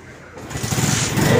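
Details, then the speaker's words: Suzuki Smash 115cc motorcycle, needs only a battery: starter whirrs briefly, then the engine catches on one press and settles into a quick, even patter with no misses or knocks; healthy start. "One click lang, di ba? Okay siya, di ba?"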